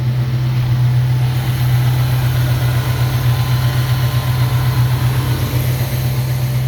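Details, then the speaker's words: 1969 Ford Mustang Mach 1 V8 after fuel pump replacement, no leaks: deep steady burble at idle, even pulses about four per second, no misses or knocks; sounds good, normal idle. "there sounds good well I'm really happy with that result"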